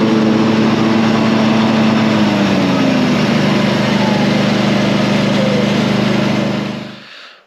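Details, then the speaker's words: Ride-on mower after repair with a repaired deck, sharpened blades and a new blade clutch: steady, even drone with the deck spinning smoothly, then a clean wind-down at shutoff. Normal running. "The blades have all been sharpened and a new clutch. And now the machine is working again as it should be."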